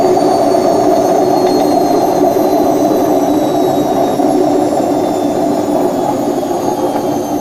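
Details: Washing machine during the spin cycle: a loud, steady roar from a worn drum (tub) bearing; repaired by replacing both bearings and the oil seal.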